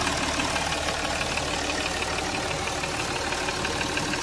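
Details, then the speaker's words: Jaguar XF diesel after misfire (P0301) and engine oil leak repair with valve cover gasket replaced, warm after a 20–25 km trial run: even clatter at steady idle, no knocking, misses or surges, running smoothly. "जरा भी knocking नहीं। Sound भी इसका सुन सकते हैं आप लोग। Sound एकदम ही स्मूथ है।"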